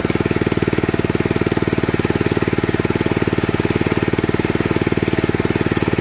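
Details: 1979 Mountfield M1 Monarch 5HP rotavator, first start in 20+ years after a replacement coil, fuel pump diaphragm, spark plug and exhaust: fast, very even single-cylinder beat holding speed with the tines turning, no misfires or knocks; normal running under load.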